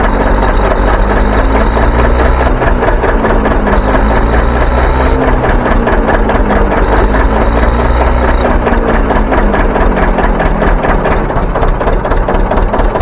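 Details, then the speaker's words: John Deere 720 two-cylinder diesel, started by pony motor after starter repair, new coils and fuel leak repairs: slow, even pop-pop beat holding steady with no misses, running cleanly. "I think she's ready to go to work"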